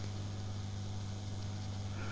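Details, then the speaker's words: Restored valve radio, warmed up, with the microphone near the speaker after replacing capacitors: a quiet, steady low mains hum with no buzz, now reduced to a normal level and inaudible from half a metre away. "Clearly, that's dropped it back to a normal amount. And I'm probably half a meter away and I can't hear it."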